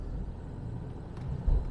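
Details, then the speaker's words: Jaguar XJ6 daily driver test drive at around 1400 rpm under light acceleration after misfiring, worst near 1500 rpm: even drone without stumbles. HT leads into the distributor cap had been soaked with coolant; owner earlier suspected moisture in the fuel. "pulling cleanly so I don't know how well it showed up on camera"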